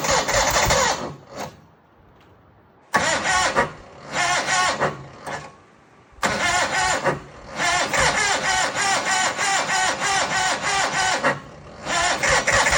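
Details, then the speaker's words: John Deere 318 at -6 degrees after sitting outside all night: several cranking bursts, starter churning about four beats a second, but the engine never catches; cold cranking no-start. "All right, let's see if the old John Deere 318 will start in -6 degree morning. She's been sitting outside all night."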